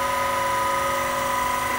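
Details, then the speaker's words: PM-25MV milling machine spindle at 3000 rpm after belt drive speed upgrade (original maximum about 2200 rpm): smooth steady high whine, only a tiny, non-excessive vibration; normal spindle run. "there's a tiny bit of vibration but it's it's not excessive definitely no worse than my grizzly in fact it's it's better than my grizzly so I guess I'll take it"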